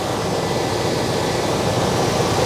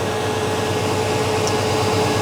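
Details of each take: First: On a 1989 Chevy K1500 with a warm engine and a new fan clutch fitted, a strong, steady air rush sounds over an even idle with no surging. The fan pulls far more air than the old clutch; this is normal. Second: On a 1989 Chevy K1500 with a mechanical fan, the engine is cold after sitting about 16 hours. There is a loud steady air roar at idle; the old fan clutch stays locked, pulling hard when cold.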